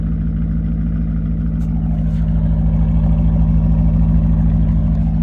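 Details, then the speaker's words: BMW E39 M5 V8, 262,000 miles, Imola Red, sat about 10 years, driving: deep burble with coarse crackly rasp as it revs; mufflers and resonator deleted, great on acceleration but raspy on decel, owner plans aftermarket mufflers, keeping resonator delete or X-pipe. "sounds great on acceleration, but decel just sounds like a rasp fest. So I'm most likely going to end up doing some aftermarket mufflers of some quality, probably leaving just the resonator deleted or maybe an X-pipe."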